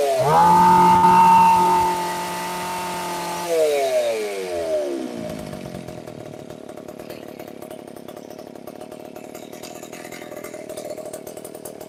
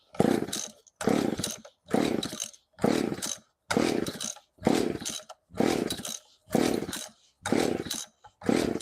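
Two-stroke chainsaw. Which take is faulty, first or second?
second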